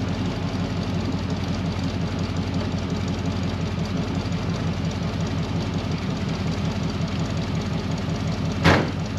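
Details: 1964 Ford Mustang code D V8 at idle after start-up: low, even burble with a steady beat and no misses, knocks or hunting; it started well and idles very stably.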